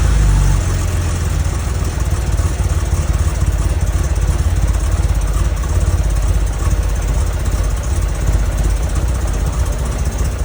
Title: 911sc rough start with vacuum leaks + backfire